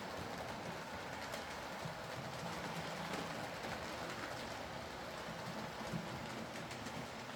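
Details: Used Hornby R2959 Thompson L1 2-6-4T running on the layout after greasing the worm gear: steady soft whirr with the wheels rolling evenly and no grinding. The earlier forward grinding came from the double gear lifting against the worm gear.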